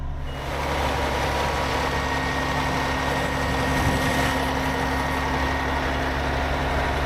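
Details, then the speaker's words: 2009 Newell coach with Caterpillar diesel, after fuel filter replacement for low fuel pressure fault codes: even steady idle, smooth low drone, no knocks during active DPF regeneration; normal. "So now I'm going to do a regeneration and we're going to see if that solves the problem. Hopefully it does. And you can hear it, it's in active regen now."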